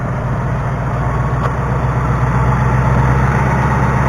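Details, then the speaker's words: 2019 Mustang GT V8 (December 2018 build) warm idle later the same day after an oil change and drive: steady low idle with light, quick tapping about four per second on top; cause not pinned down. "It is 2:52, so it's just a little bit later, same day, and this thing just started tapping."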